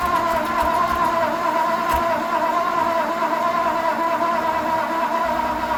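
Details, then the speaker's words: 1954 Ford, start attempt during body swap: steady starter drone, even cranking about once a second, no firing; owner suspects ignition points need sanding, not confirmed. "Well, she's cranking, but I suspect the points probably need a little sanding on, you know."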